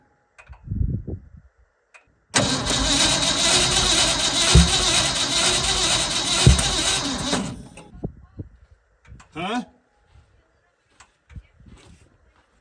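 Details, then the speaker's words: Old Ford F100 bought sight unseen, first start attempt; catches roughly with loud irregular pops and coughs, backfiring; plug wires were set for clockwise firing order though the rotor seems to spin counterclockwise; wrong firing order suspected. "I know sounds like it's backfiring which normally means it's the wrong cylinder order"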